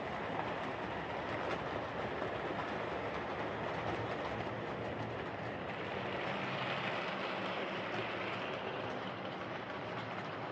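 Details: Hornby R2553 Princess Coronation Class "City of Bristol" model locomotive after repair of mangled rods and noise issues: steady, even rolling hum with light clickety patter, no stalls, surges or grinding; normal running.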